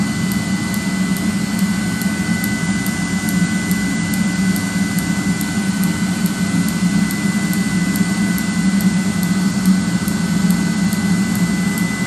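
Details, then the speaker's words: 30,000 BTU/hr multi-fuel fuel-fired personal cab heater for a 1973 M35A2 deuce and a half, on 24 V (about 24.3 V), just lit on high after brief howling at ignition: steady even roar, low hum, faint high whistle, no surging or popping; normal running. "And you heard it howling there a little bit like I was talking about. Now it's running."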